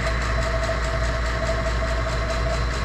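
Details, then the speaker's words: JB Industries DV-6E 6 CFM vacuum pump evacuating a commercial refrigeration unit after refrigerant leak repair and nitrogen test: steady even mid-pitched hum, no surging, rattling or grinding; normal running, vacuum coming down fast. "my valves are open and i have to connect to the vacuum pump so let's start it up"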